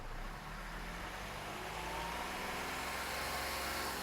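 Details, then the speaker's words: Hyundai diesel after replacing 3 injectors (not yet coded); before the repair it hung at 2000 RPM. Now revved to about 2800–3000 RPM, the note rises smoothly, holds without hunting and drops back to normal idle; revs cleanly. "கிட்டத்தட்ட 3000 RPM rice பண்ணிட்டேன். திரும்ப நார்மலுக்கு வந்துருச்சு பாருங்க."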